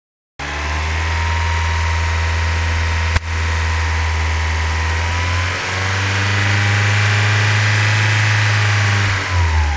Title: bruit moteur